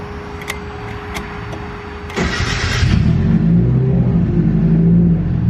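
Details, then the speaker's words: Turbo Mazda Miata with newly installed Speeduino EFI ECU, previously would not start: short crank, then catches quickly and settles into a steady, even idle; clean, effortless start. "like do you see how effortless that startup was right there"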